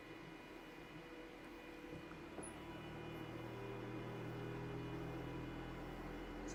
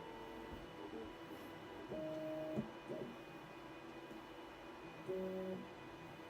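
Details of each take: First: Voron V2.4r2 3D printer input shaper resonance test on the Y axis, noted as the extra noisy one with more mass causing a lot of jiggering; quiet steady hum with tones swelling through the sweep, a normal test run. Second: Voron V2.4 R2 3D printer, LDO stepper motors, homing after tuning second homing speed: quiet hum with short bursts of stepped motor tones, then a harsh noise at the end of homing; cause suspected, not confirmed.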